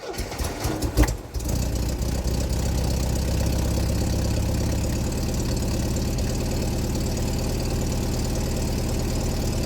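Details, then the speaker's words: MGB sports car, cold first start with choke pulled, clutch in: catches after a short crank and settles into an even, steady low idle on choke; good oil pressure, still wants choke; healthy cold start. "we've got good oil pressure. Fired up pretty good. Definitely still wants to choke."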